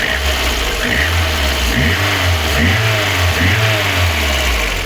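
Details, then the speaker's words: VAZ 2112 8-valve after valve stem seal replacement, cold start: hard diesel-like rattle over the beat, head quiet; piston slap expected to quieten once warmed to 90 degrees. "Ну і то не дуже чути його а от поршнева я їх завів на холодну Я просто був в шоці як просто як з дизель от послухайте як вони тарабанять поршнів чуєте"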